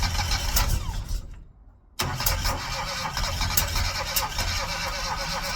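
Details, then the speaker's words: Classic Mini engine with low compression, first start after 12 years in storage and leaking oil: it cranks, stalls, then catches and runs with an uneven, stumbling beat. Runs rough after long storage. "It ran. Um it ran like [ __ ] but it ran. Um Yeah. Uh I'm quite emotional. That's the first time the engine's run in 12 years."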